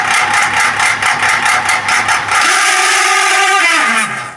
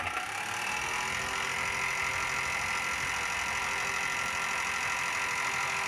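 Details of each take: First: Exhaust fan whirs with a rhythmic scraping chirp on every turn and a raspy edge; the shaft bushings are dry and unoiled. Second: Exhaust fan after oiling to cure its noise problem: spins with an even hum and faint steady whine, no knocking or scraping; sound problem solved.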